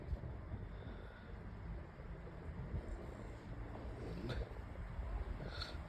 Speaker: So, I'll start up on low speed. Yeah, it's very quiet as you can hear.